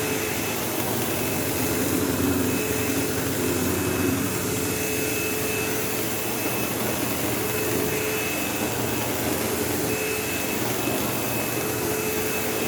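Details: Sebo Automatic X5 upright vacuuming a living room: loud steady roar with a constant high whistle and coarse buzzing rattle, occasional belt-slip-like squeal; the belt was checked, and brush roll play is suspected, not confirmed.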